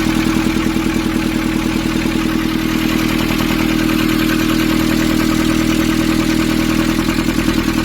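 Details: Nissan Urvan ZD30 diesel, after a no-start repair in which a soot-clogged part was cleaned and refitted: steady, even clatter of about three beats per second, no misses or hunting; clean, healthy idle.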